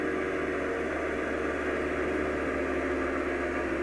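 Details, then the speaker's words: DC backup pump on rainwater system building pressure, amps rising to about 13: steady even motor hum with rushing drone, no knocks; shuts off near 50 as intended, pressure tank waterlogged. "Perfect. Very good. Shut off at about 50, which is right where we want it."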